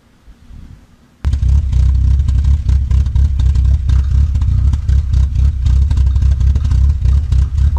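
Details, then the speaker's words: Chevy C2 2004 Comfort with check engine light, at idle; beat stumbles and surges, completely irregular, smoking; mechanic attributes it to non-working oxygen sensors causing poor combustion, with an oil leak at the coil gasket; not confirmed. "puedan escuchar la marcha es completamente irregular en la parte de la cava el motor se escucha"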